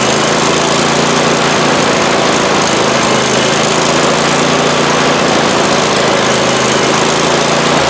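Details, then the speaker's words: Abandoned 48-inch Husqvarna mower small engine revived, running loud and buzzy with a slightly uneven beat; runs but not cleanly, cause not clear. "well it runs not the greatest but it actually runs sweet"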